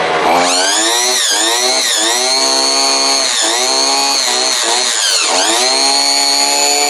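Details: Two-stroke chainsaw after servicing, oiler sprayed with gun oil, revved to show bar oil dripping; strong clean howl climbing and dropping smoothly with each throttle blip; normal revving.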